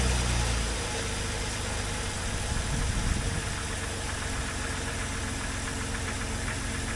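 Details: 2001 Jeep Cherokee XJ 4x4 idling at start-up after repair work. Steady low idle with an even rhythm after the first seconds; no leaks seen. Cooling fan stays off because its fuse blew.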